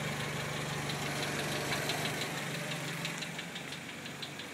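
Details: Hyundai Genesis 2.0T turbo petrol engine at idle: loud, sharp, steady ticking about three times a second, starting after the first oil change.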